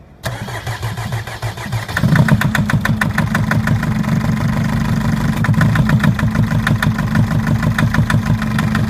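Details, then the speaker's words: Mercedes Sprinter 904 with OM611 four-cylinder diesel at idle: sharp, even tapping about three times a second over the rumble. The cylinder 1 injector knocks and needs replacing; the knock vanishes when that cylinder is cut. "Итак сегодня у нас Спринтер 904 с двигателем 611 четырёхцилиндровый и вот как стучит"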